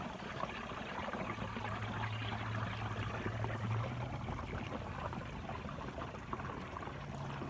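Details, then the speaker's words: Massey Ferguson 1105 left rear tire being inflated from a portable air tank: wet gurgling and trickling under a steady air hiss as the liquid ballast in the tire sloshes, normal. "these tires have fluid in it so you can hear it gurgling"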